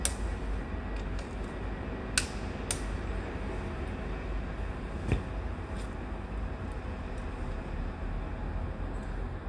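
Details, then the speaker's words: Seized engine after a wrong-part sump gasket left an air gap at the oil pump suction tube; with correct gasket and 17 L oil refilled, starter gives sharp isolated clicks over a low hum, no cranking at all. "So that works. Okay. You can hear the clicking sounds."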